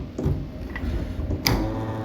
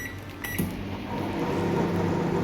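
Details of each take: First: Microwave oven that had been making loud noise; cooling fan turned by hand: dry, uneven ticking and scraping that slows as it coasts, identified as the fan motor's bearing noise. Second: Microwave oven that had been making loud noise, after checking and reinstalling the cooling fan: an even, low steady hum with no grinding or squeal; the fan now runs smoothly and quietly.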